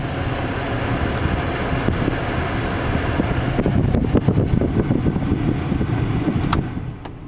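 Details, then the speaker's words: 2001 Chevy S10 V6, heater blower on speed 4 after replacing a fuse (10 A fuse found in the 30 A slot); speeds 1–3 still dead: even steady air rush with a few light clicks; high speed works normally. "fan speed 4 was fixed by replacing this fuse there was a 10 amp fuse and a 30 amp fuse hole"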